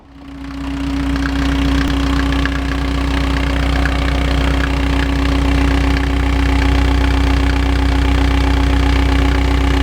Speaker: А вот просто получилось поставил старый ремень Ну как вы слышите никаких посторонних звуков нету